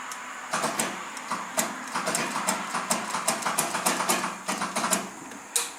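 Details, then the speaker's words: John Deere 318 garden tractor no-start: rapid uneven chattering clicks about five a second as the starter strains without spinning the engine; battery tests fine, owner finds corrosion at the battery terminal from acid fumes starving the starter. "kind of sounds like the battery in a way a minute ago was hitting hard on the starter sound like a starter but let's do some looking into it"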